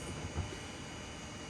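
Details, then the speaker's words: Amiga 3000 with a newly installed SCSI hard drive at power-up: loud, steady jet-like whine with a low rumble underneath as the drive spins up, sounding like an airplane; this is a normal SCSI drive spin-up. "Oh, it sounds like a SCSI hard drive. Oh my gosh, yep, sounds like an airplane booting up."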